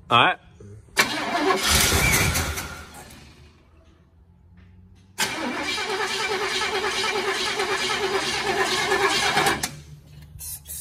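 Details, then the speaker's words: 1968 Chevrolet Impala convertible, long stored outside, choked, with a little fuel spritzed in and the carb bowl dry so fuel must come from the tank: long bursts of steady cranking at about three beats/s, never fires. Cause suspected, not confirmed. "it'll have to get it from the tank eventually I wish we had a little bottle of gas we could fill the bowl up"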